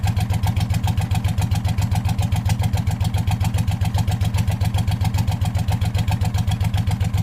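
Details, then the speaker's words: Hot rod tractor race mower go-kart engine idling, hood off: sharp, very regular tick about 220 per minute, puffing tick of a known exhaust leak; sounds slightly knocky. "I don't often hear it with the hood off so of course I found an exhaust leak which I already knew was there"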